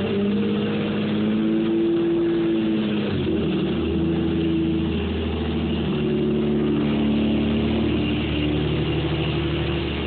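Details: Toyota Supra on a cold day, first start after starter rebuild: engine idling with thin high-pitched spinning whine from the misassembled starter, caused by an extra part added inside; fix is to pull and redo it.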